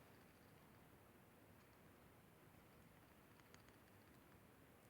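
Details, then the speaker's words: Kawai keyboard bought in 1993, after its loose key weight was tapped back in with a punch: the shaken key gives only faint soft ticks and no clunking rattle; the key no longer rattles. "you know what doesn't even sound anymore and that's awesome"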